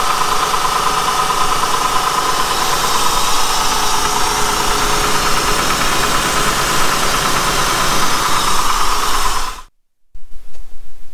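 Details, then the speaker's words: Honda with 102,000 miles, recorded inside the cabin at idle in gear: light, quick, uneven tapping over engine hum from excessive valve lash; worse in drive as rpm drops; valve adjustment planned. "if i put it in gear you hear the tapping sound that's what we're trying to get rid of here"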